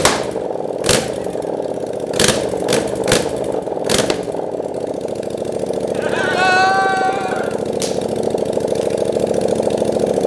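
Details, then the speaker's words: 700cc Yamaha FZ-07 engine in a Honda Grom build, first start, no coolant system connected; loud open-exhaust putter settles into even idle with a quick rev, runs clean and healthy. "But this thing sounded amazing. It idled super well. It revved up really quick, nice and perfect there. So this engine runs great."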